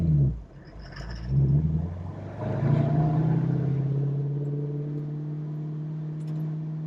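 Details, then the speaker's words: 1968 Ford Mustang Fastback with a 4-speed manual, learner driver upshifting: the engine note sags and nearly dies as the clutch bites, then recovers into a rising rev. Cause: slipping the clutch and too little rpm in a higher gear. "That did not sound good. I did something wrong. When you go into second and third and all that, you don't really need to slip the clutch like you would in first."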